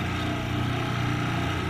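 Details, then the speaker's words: Bench grinder after fixing vibration by balancing the wheel and removing material to lighten it: steady even low hum, no wobble, throb or rattle; wheel now runs true and smooth with zero vibration. "Então, gente, olha que loucura. Ficou perfeitamente lisa."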